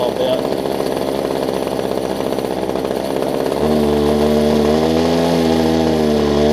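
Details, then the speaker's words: Older Homelite two-stroke hedge trimmer after new fuel lines and primer bulb: buzzy rattle settling into a steady higher drone while warming up; running cleanly, normal. "I'll say that it runs real quick I'm not even promised they'd probably start on show there we go the only thing is you gotta let it warm up"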